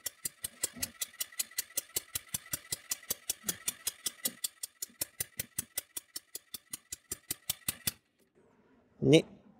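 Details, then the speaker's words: Scooter compression test with steady starter cranking and the throttle open: about five puffs a second, each a sharp hiss of air escaping around the hand-held push-in tester adapter; the screw-in adapter sealed better. "leider entweicht er der Druck, das kann man gut hören. Mit dem Schraubadapter war es besser."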